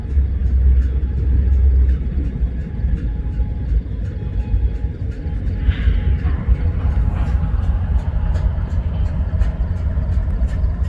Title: UP GEVOs Idling and Making Weird Knocking Sounds